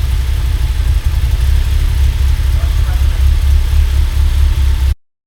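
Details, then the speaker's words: Mazda NC Miata with a 2.5 engine during a build audit: a deep, slightly lumpy idle with no belt noise, chatter or misfire, which sounds normal. "this sounds totally normal. Imagine that. There's no belt noise. There's no chatter, no misfire sound."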